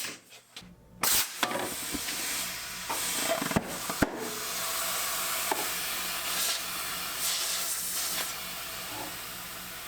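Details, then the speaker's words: Spare 14-inch tire for a 1981 Nissan 280ZX; steady hiss of air rushing out while filling, with a few knocks, from a giant hole in the sidewall. Tire air leak. "there's a giant hole in the sidewall that's it there's a hole okay fine i won't use you"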